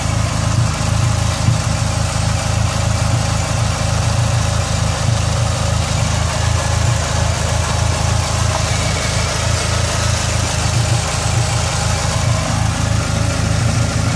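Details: Dodge SRT-4 at idle with code P0304 (cylinder 4 misfire): uneven, stumbling beat about three times a second as one cylinder drops out; plugs, wires, injectors and coil pack already replaced, intake manifold gasket suspected.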